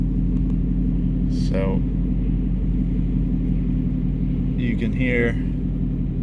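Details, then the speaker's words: 2019 Mustang GT V8, intermittent front-end noise the owner thinks is a chirp or squeaky belt, not the known tick; here a normal idle, nice and quiet with just the exhaust rumble and no squeak. The noise isn't there every time. "nice and quiet just the rumble of exhaust so like I said it's not every time"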